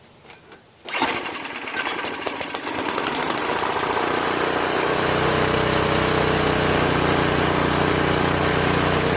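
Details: Craftsman 5.5 hp OHV 26-inch two-stage snowblower, after replacing the surging carburetor with an aftermarket copy: quiet clicks, catches within a second, brief sputter, then a steady even buzz; normal running.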